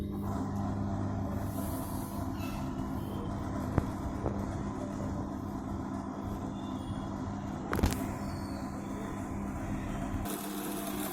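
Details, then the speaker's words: LG MC-7688DP microwave oven running 30 seconds with a wet cloth inside; steady droning hum with rough rumble from the fan motor, sometimes very loud per complaint; motor needs greasing and wiring work. "Motor का आवाज आ रहा है इसमें। ये वाला मोटर को ग्रीसिंग और वायरिंग करना पड़ेगा।"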